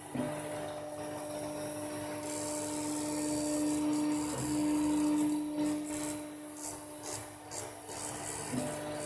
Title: Rattle noise on craftbot (fans)